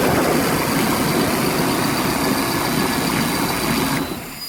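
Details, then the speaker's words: 1990 Chevy 454 V8 with throttle body injection runs strong and steady with a deep even roar; owner reports it won't idle and fails smog, high hydrocarbons, original belts slipping. "Let me start it so that you can hear what it sounds like. Seriously, she really runs good."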